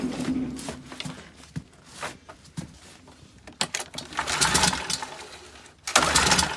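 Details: Leaf blower: repeated pull-cord rasps in uneven bursts, each fading without the engine catching; cranks but won't start, cause suspected, not confirmed.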